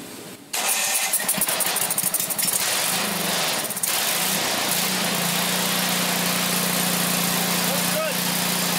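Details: Briggs & Stratton 8 hp OHV engine on a Craftsman 27-inch snowblower, previously dead, with water-contaminated milky oil flushed with used oil: pulls over, fires, and settles into a smooth, steady single-cylinder idle; it runs normally.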